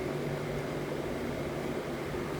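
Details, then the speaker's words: 20-year-old Trane 18 SEER two-compressor AC unit, back running after wiring repair, original capacitor: steady low hum with smooth airy fan rush, no rattles or squeals; compressors and fan motor running normally. "as you can see i was really happy to see that in the 18 seer both compressors were good the fan motors good and the original capacitor ran for over 19 years"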